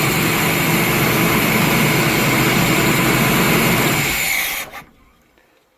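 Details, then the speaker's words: Old vehicle's petrol engine, sat with bad gasoline, cranked on starting fluid: loud, uneven roar that dies within seconds; sounds a little rough, cause not clear. "sounded good or did it I think it sounds a little rough just keep it going"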